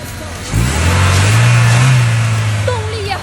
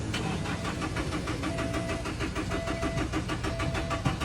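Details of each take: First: Car that would not start (no spark, no fuel) after cleaning iron filings off the crankshaft position sensor: starts first try and again, settling into a steady even low rumble with music behind. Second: Car cranking but not starting: starter churns steadily at about two beats a second without firing; no spark and no fuel, suspected to be the crankshaft position sensor.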